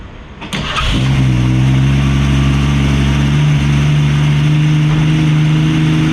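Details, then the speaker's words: 1965 Mustang with the straight-six, after new plugs with cylinder 2's plug found with oil on its threads and a vacuum leak suspected; idle jet at a quarter turn. Starts quickly, smoother, but idles steadily and too fast. "Sounds better, starts better, still idling way too fast, and I have that idle jet at a quarter"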